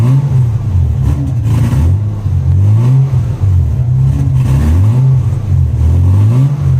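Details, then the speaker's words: 1996 Lexus SC300 2JZ, manual W58, still cold after the fuel pump ECU bypass: it started far better, but revving right after the start makes it sag unevenly and nearly stall; hesitation persists, owner wonders about injectors, cause unclear. "Okay, you guys could see there, it still gave me a pretty decent hesitation. I don't know if that's because we linked it up, but it did start way, way better than it did before."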